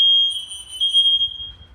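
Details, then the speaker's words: Second smoke detector in smoke test, quieter than the other, stronger unit, shuts off automatically; single high piercing steady tone fading after about 1.5 s; working alarm, fairly quiet. "Bu da ötmeye devam ediyor bakın bunun ötme sesi e desibeli düşük biraz öteki fazla ya Öteki daha güçlü ötüyor"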